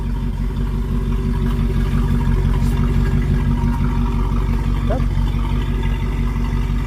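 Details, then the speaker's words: 1971 Rover P6 3500S V8 US export, running after fuel pump replacement, no fuel leaks seen: steady even idle, soft regular pulse around three per second, no ticks or stumbles; normal idle. "Let's give it a try. Sounds good. I don't see two on the floor. Looks good to me so far."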